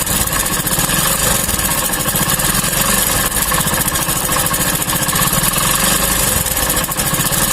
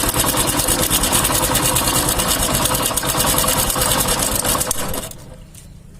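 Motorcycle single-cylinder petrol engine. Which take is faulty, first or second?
second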